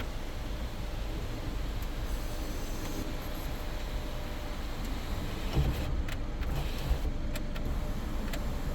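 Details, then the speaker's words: 2017 Kia Sportage EX panoramic roof after replacing the motor, which had skipped gear teeth and not closed fully: low, steady motor hum as the glass slides, with no grinding or clicking; it may need lubrication; normal sunroof operation. "okay this probably need some lubrication there almost closed everything properly closed here sun shade is on the maximum closed position also is the panoramic glass"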